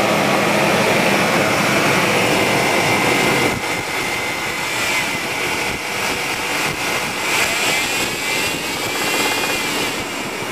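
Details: 1999 GMC Bravada 4.3L V6 running with a quick, steady knock about three or four a second that seems to come from the heart of the motor, not the oil pan; owner suspects rod knock, unconfirmed.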